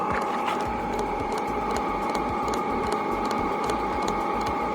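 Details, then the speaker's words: Chinese air heater in a camper van, recorded outdoors after 27 minutes running at 2700, not full power, about 0.8 A at 13 V: steady blower and exhaust roar with a faint, quiet tick from the fuel dosing pump; normal. "Je suis en extérieur, le bruit du pot d'échappement. Voilà, on entend plus les voitures à côté qui passent. Au niveau de la chaleur, franchement, c'est top du top. Voilà le bruit. La pompe."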